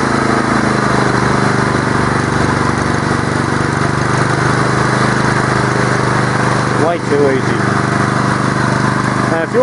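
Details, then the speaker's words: Honda steel-deck lawn mower started on choke after servicing with oil: steady, even single-cylinder drone at constant speed, no surging, misfiring or over-revving; normal governed speed, and faster would call for a governor check. "mower revs any faster than that when you're just normally having it run speed I'd be uh advising that you check your Governor speed"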